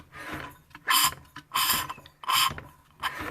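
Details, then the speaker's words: Seized, water-damaged Honda water pump engine, hand-cranked after being freed with oil in the spark plug hole; uneven hissing, rasping bursts instead of firm compression, low compression with air suspected leaking past a stuck inlet valve. "there is not much compression and it there seems to be air leaking out through the inlet valve so that will have to be sorted out"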